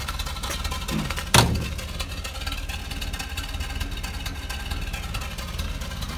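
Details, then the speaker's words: Land Rover Series 3 with carburettor, cold start after months unused: uneven, lumpy low idle with irregular beat and one sharp clack after a weak crank on a charged battery (starter suspected); choke in, owner suspects fuel starvation from a blockage, mixture screws have little effect. "and it sounds like it's not getting enough fuel for a start so maybe there's a blockage in there"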